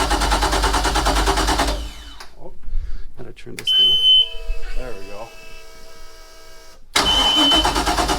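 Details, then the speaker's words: MerCruiser 5.0 MPI V8 in a 2007 Monterey 214FS boat left outside six years, started on a new battery and run briefly without water. It fires promptly into an even, steady run with no knocks or misfires before shutdown. "i won't let it run without any water but it fires up sounds like a champ"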